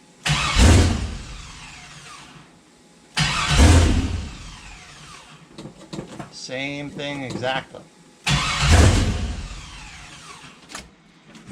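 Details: 6.0 V8 swapped into a CUCV, first start attempts, fuel pump fuse reinstalled: three tries, each time the starter spins, the engine fires with a low roar, then fades and dies; caught-then-stalls, owner suspects a wrong MAP sensor.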